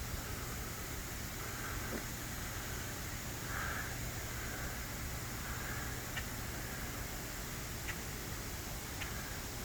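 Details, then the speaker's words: High-tension power lines in very humid air with no active rain: a constant rain-like hiss with a faint low hum and occasional crackles; corona discharge. "you can really hear the power in this the air with all the rain and moisture it sounds like rain but it's actually just the power coming off the wires"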